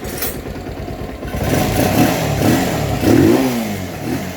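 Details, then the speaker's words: Rouser 220 motorcycle, previously not starting, now running with no parts replaced; non-stock 28 carburettor fitted; throttle blips rise and fall cleanly, no misses, knocks or rattles, normal revving. "So yung dating Hindi umaandar mga bro ngayon ay umaandar na wala tayong pinapalitan dito Basic lang"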